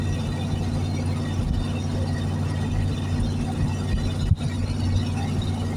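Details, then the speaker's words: 1973 Plymouth Fury III V8, off the road 7 years, driving in third gear; owner hopes running it out of gas cleared the old gunky fuel: a steady, even low rumble with no misses, knocks or surging. Running smoothly. "Right now she's not running bad. I'm hoping by it running out of gas, I did get all that old gunky gas out of there."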